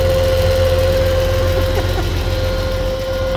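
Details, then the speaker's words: Hyster forklift, GM 4.3 Vortec, run out of oil and left unserviced since March, seized then freed: rough idle with a heavy, dull knock about three times a second, wobbling and smoky with blow-by; rear main bearing believed failed, not rod. "I'm pretty sure the uh rear main has uh left the chat it's exactly what it sounds like it's obviously not rod"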